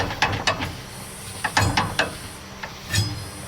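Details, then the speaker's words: John Deere Gator 4x2 with clutch noises, hard start and idle issues, in first gear, parking brake and differential lock off, checking whether clutch or axle bearing: uneven bursts of sharp ratcheting clicks under light drive, source not yet isolated. "Let me stick this back in neutral and take the parking brake off of it. Stick this down in first. We should be engaging."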